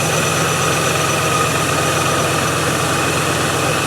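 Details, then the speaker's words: Range Rover after fuel pump repair: steady idle with an uneven, stumbling beat under loud clatter; a cylinder dropping out, misfire cause unknown (injector, plug wire or coil pack suspected); seized AC compressor clutch also present. "so let's start it up and i'll show you some interesting see what i mean it sounds like a bag of amazon"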